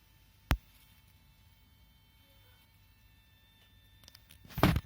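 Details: Faint steady high buzz, almost a thin whine, lingering in a quiet garage just after parking a Mini Cooper S bought a couple of months ago; cause unclear, owner unsure whether to raise it with the selling garage.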